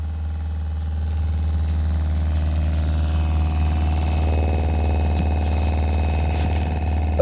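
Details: RV travel trailer water pump, phone on the floorboard right next to it, after replacing rigid lines with two 5-foot vinyl tubes: steady low hum with no rattle or buzzing; normal quiet running with vibration greatly reduced.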